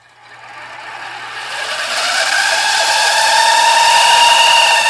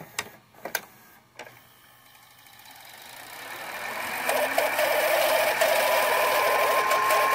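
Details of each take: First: Funai-made VCR (2001–2016 mechanism, e.g. Sylvania, Emerson, Toshiba combos): a thin whine climbs in pitch as the tape speeds up on rewind, from dry gear bearings. The fix starts by unscrewing and removing a bracket. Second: Funai-made VCR (2001–2016 mechanism) after fixing loud screeching on rewind: a few clicks, then reels spin up into a smooth rising whir with light hiss and no screech; normal rewind after repair.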